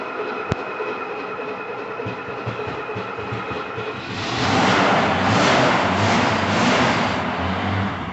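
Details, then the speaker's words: 1968 Mercedes-Benz 280S, first start in years: fuel pump hums, engine catches right up and runs with even, fairly smooth rumble despite dripping gas; running okay. "what do you know isn't that a bit of a good german engineering there started right up it was dripping over gas in there but seems to be running okay now"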